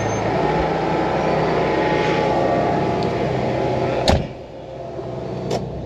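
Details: GQ 4x4 driven at walking pace with handbrake off: two heavy single clunks about 1.5 seconds apart over steady drive noise; whine came first, wheel bearing suspected, but the differential was failing and blew; before replacement.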